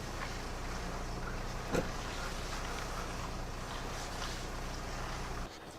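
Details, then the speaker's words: Lexus RX300 idling while the steering wheel is turned, after lubricating the steering-shaft rubber seal near the brake pedal and replacing the alternator belt: steady low hum, the meowing squeak now gone. "так победили сегодня пару проблем поменяли ремень генератора и избавились от скрипа на руле Точнее от мяуканья мерзкого"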